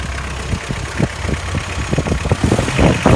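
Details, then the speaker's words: 1985 Subaru Brumby (Brat) with boxer four and 4-speed manual, exhaust leak already fixed: deep rapid knocking, about four per second, that is heard only when revved and grows louder with rpm; owner suspects rod knock. "he's a noisy engine I'm afraid sounds like rod knock but oddly enough you only can hear it when you give it RPM"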